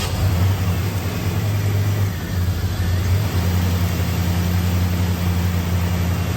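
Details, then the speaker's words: 1989 Pontiac Trans Am GTA, 5.7 TPI 350, about 35,000 miles, idling in park just after starting. Low, steady, even rumble with no misses or hunting; seems fine, though it stalls when put in drive or reverse, especially with A/C on. "Okay, at first it starts up and seems to idle fine."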